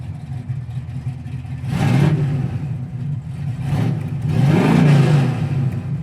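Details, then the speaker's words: 1968 Camaro RS/SS, 396ci big-block V8, 4-speed manual, headers, dual exhaust with electric cutouts: deep, smooth rumble swelling cleanly on two blips with no misses or knocks. Normal engine revving. "Listen to it. It sounds awesome. It's got exhaust cutouts here."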